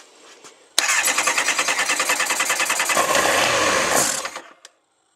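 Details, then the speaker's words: Kawasaki ZX9R Ninja during winter service, fuel tank and air box removed: rapid, even starter cranking about three pulses a second for roughly three and a half seconds, engine never catches; it won't start with the air box off. "okay so it doesn't like it with the air box off"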